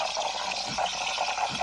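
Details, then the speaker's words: DeLonghi Magnifica automatic coffee machine steam wand turned until it clicks, with the milk jug held close: steady hissing with soft gurgling as steam works through the milk; normal frothing. "we've got to turn this all the way until it clicks, and then the milk will start steaming. There we go. So the milk going there."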